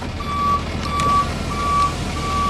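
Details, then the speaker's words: Salvage 2013 Ford F550 4x4 diesel rollback flatbed, repaired front end, in four-wheel drive high: four even high beeps about every 0.7 seconds over the engine; reversing beeper working normally. "I'm not sure if you can hear that or not, but it does have a backup beeper."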